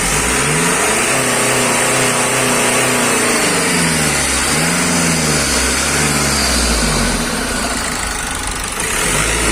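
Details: Nissan X-Trail T31 2.0 dCi M9R diesel after a full engine rebuild, following overheating and a cylinder 3 misfire (P0303) with low compression: idles evenly, then revs up and settles back smoothly, all cylinders firing.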